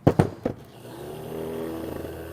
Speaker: it doesn't sound bad now